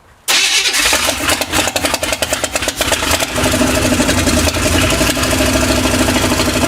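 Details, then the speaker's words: Carbureted GM V8 ("Tankenstein") tune-up: engine catches then runs unevenly with irregular pops and stumbles; owner suspected mixed-up plug wires on the cap or water in fuel, but firing order checked correct; cause unconfirmed. "we're gonna check the wires on the cap because it sounds like I had something out of whack here you hear it pop in here and over there so I probably have to mixed up"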